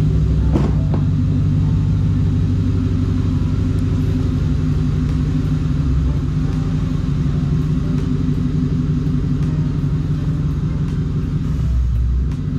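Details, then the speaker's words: Wife's Mustang GT V8 with a BBK off-road X-pipe, driving after an exhaust manifold leak from hitting a cinder block at 70 mph was fixed. Smooth, even rumble with no puffing, ticking or hissing; the other side was checked and has no leaks. "i did check the other side other side was good no exhaust leaks i'ma clear the code card should be fine"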